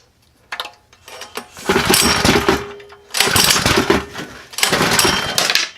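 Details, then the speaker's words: Freshly built Predator 212 Hemi small engine with a cam and an aluminum flywheel, on first run while the fuel setting is adjusted. It surges in uneven bursts, then sags and nearly dies, not smooth; rough running, near stalling, cause unconfirmed. "sounds like you drove a car with that sounds pretty good yeah it does you could definitely tell it's got a cam in it yeah it doesn't ain't got that smooth"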